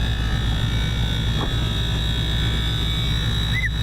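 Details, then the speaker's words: AAON rooftop HVAC unit, where a cracked belt had been found: a low steady hum with a faint constant high tone, running quieter than ever with no rattles or grinding; normal running. "and this one's running quieter than ever I can even hear it"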